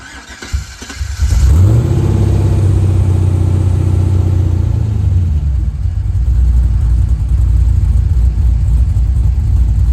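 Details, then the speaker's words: C4 Corvette with LS swap, LQ4 V8, 2.5-inch dual pipes, new 2.25-inch Borla mufflers replacing droning 3-inch Flowmaster Flow FX, recorded from outside: catches after about a second, then a deep, steady burble with no rasp or drone. "But I'll show you what it looks like from outside the car and then fire it up for you. So here's what it looks like. Obviously, I need to clean my car really good. I think I might have to reorient this one a little bit, but looks very similar to before, but sounds a lot better."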